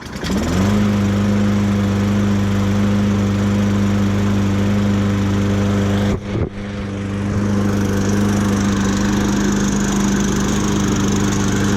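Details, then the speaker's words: Toro push mower that wouldn't start, first start after repair, not choked: it catches quickly and settles into a steady, even drone with no misses or knocks. Running normally. "nice sounds good so far"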